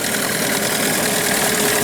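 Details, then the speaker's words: New Hangkai 9.8 two-stroke outboard with 6 hours of barrel break-in, burning a break-in mix: steady even buzz at fast idle, smoky. Pump checked, engine at 40–45°C, no knocks, misses or overheating; it runs normally. "Дымим, пердим. Выжигаем обкаточную топливную смесь. За всем следим."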